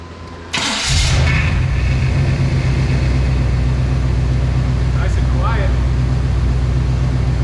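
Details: OBS Chevrolet Silverado after new coil, ignition module and battery, coolant and very low fluid topped off: starter catches quickly then a smooth, even, low idle with no knocks or ticks; normal idle.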